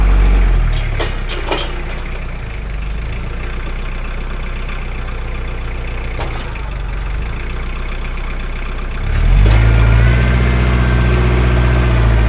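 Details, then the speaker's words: Mahindra 4110 tractor diesel after head gasket repair, working a grapple on big logs. Steady low thrum pulling harder and deeper as load comes on, holding revs without knocking; no smoke or overheating: normal running under load. "So, um, but needless to say, the engine's strong enough, healthy enough. She's not burning smoke. She's not overheating"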